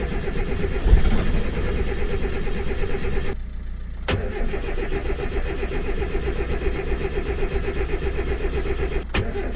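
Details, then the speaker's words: Mazda MX-5 Miata after fitting an upgraded Kemso fuel pump, pump not heard priming: the starter churns steadily for about three seconds, pauses, then cranks long again; the engine never catches. Still a no-start. "well that didn't fix my problem but that's how you fit a fuel pump"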